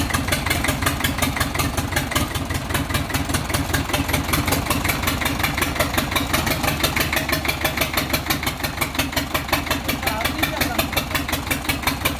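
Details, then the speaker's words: Chinese 4-cylinder diesel for a Shahzore roller, started before fitting to the machine; it was missing, injection pump since repaired and refitted, not yet checked. Idle clatter with stumbling, skipping beat; one cylinder missing from injection pump fault. "पहले इसको start किया है ये missing कर रहा था अभी इसका पंप बनाया है लेकिन अब चेक करेंगे मशीन पे चेक नहीं किया है वैसे ही फिट किया है।"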